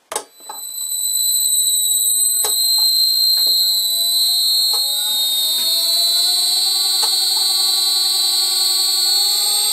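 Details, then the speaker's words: Old lathe motor on a new NF-9000 Chinese VFD at default carrier frequency, fan blocked with a screwdriver: constant piercing high whistle, fainter tones climbing as the motor ramps toward 50 Hz; carrier-frequency motor whine. "first let's listen again to the default setting and the noise the motor makes and I'm going to put my screwdriver in the fan so we won't hear that bloody thing"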